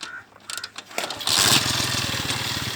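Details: Honda motorcycle after clutch adjustment, started with clutch held and gear engaged and not creeping; engine catches and settles into a quick, even patter with no knocks or scraping, normal running.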